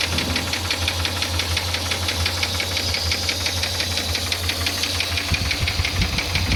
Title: 5VZFE engine knock, possibly connecting rod... 😒